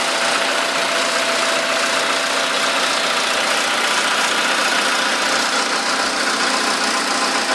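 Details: VW Polo sedan, 13,000 km, at idle: light, fairly quick tick of about three or four per second, resembling valve tapping, appearing right after the first scheduled service. Source still unclear.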